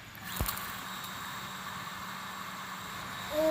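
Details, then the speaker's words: Water pump after replacing the capacitor that caused a slow, humming motor: a click at switch-on, then a steady, even hum at full speed, drawing water from the well bottom again; normal running. "Ya, alhamdulillah sudah menyala dan kecepatan sanyo sudah kencang ya teman-teman."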